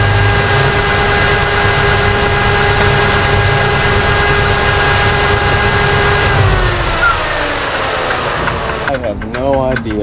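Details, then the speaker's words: 1955 Mopar wagon, automatic transmission in neutral at idle: steady droning tone with faint uneven shudder; fluid level good, barely in drive or reverse, absent in park; cause unknown. "what's going on trans fluid level looks good it doesn't really do it too bad in drive or reverse and doesn't do it in park but as soon as"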